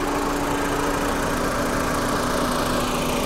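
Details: Volkswagen with a timing belt engine at a salvage auction: steady, even idle hum with smooth low drone and no knocks or ticks; running cleanly.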